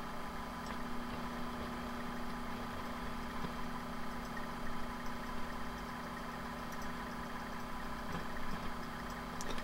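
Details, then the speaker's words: Fuchs Mantis tube amp on the bench with power tubes installed, AC power on and warming up to check for the purple arcing/sparking one power tube showed; steady low hum, faint whir and light static, no arcing so far. "but I'm going to turn the AC power on this guy let it warm up and we'll turn around see if we get into that kind of arcing and sparking once it gets forum let's give it a second it's warm up"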